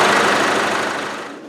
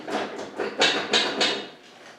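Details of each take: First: Isuzu 4BD1T turbo diesel in a Land Rover Defender, fully warmed up before a compression test: even, steady diesel clatter at idle with no misses or stumbles; running smoothly. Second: Isuzu 4BD1T turbo diesel in a Land Rover Defender, cold start in a roughly 19° shop before a compression test: brief cranking, then loud, uneven clatter that lumps and stumbles. Owner says it always starts like this cold and picks up once warm.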